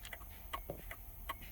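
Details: 2000 Ford F-150 after reseating loose terminals in the broken steering-column turn signal connector, including the blue main feed wire to the relay: quiet sharp ticks repeat a few times a second; the turn signal flasher works again.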